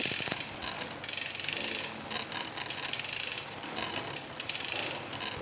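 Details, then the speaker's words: Road bike under hard pedaling: short bursts of crackly, ratchety creaking at a certain crank angle on each stroke. Crankset creak because a cheap crankset lacks stiffness; fix is a stiffer crankset. "实际上，这个声音是不连续的。异响表现为用力踩踏时，在某个角度会发出声音。主要问题是相对便宜的公路车牙盘刚性不足"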